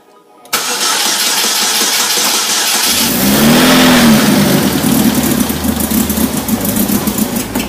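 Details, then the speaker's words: 2008 Chevy HHR, replacement engine of 2.4 Ecotec block with 2.2 cylinder head, first startup: cranks, catches with brief whistle, then uneven stumbling idle with ticking puffs; bad misfire and badly leaking exhaust manifold despite factory copper gasket, new gasket planned. "a couple things I noticed when I first started up had a real bad misfire but also the exhaust manifold was leaking really bad"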